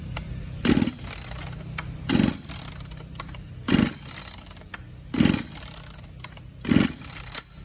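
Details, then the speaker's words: Echo SRM-280 two-stroke string trimmer, 12 years commercial use with no maintenance, unserviced air filter, dirt-scored piston: rough uneven revving surging every 1.5 seconds with dry rattle under each burst; worn connecting rod knock, engine deemed a lost cause. "guys i do believe she's a lost cause i cranked it up off of camera and it didn't run very well at all listen to this connecting rod"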